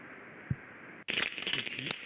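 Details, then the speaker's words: Ultrasonic bearing measurement, shifted down into the audible range: a smooth, even hiss from a healthy bearing, then a louder rough crackle with sharp irregular impacts from a damaged rolling bearing. "là il signe un roulement quelques années on entend bien les chocs"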